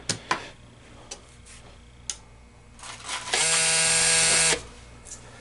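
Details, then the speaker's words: Green Stripe American changer hopper with MEI validator on a test jig, pins jumped: a few dry clicks, then a flat high buzz and silence; the validator doesn't complete its boot and the changer doesn't turn on, suspected hopper board, traced to faulty harness cord. "that did not go through its full boot and it did not turn on the changer okay"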